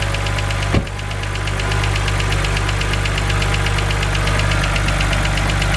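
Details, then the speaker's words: BMW 130i with N52 engine at idle: light, quick, even ticking over the steady hum, the well-known N52 hydraulic lifter tick, said to be harmless but annoying. "so as you guys heard that is the infamous BMW n52 ticking noise now I just want to say that this noise is not harmful to your engine in any way"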